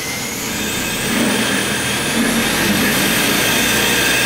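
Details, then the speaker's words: Murray riding mower converted to electric (ME-1004 motor, 48V Chevy/GM Volt lithium pack), throttle lever being adjusted: smooth rising motor whine settling into a steady even hum under no load, no rubbing or knocking; motor running normally. "so this is a throttle control you just up it and change it to the voltage that a year going to be wanting to run the lawnmower at"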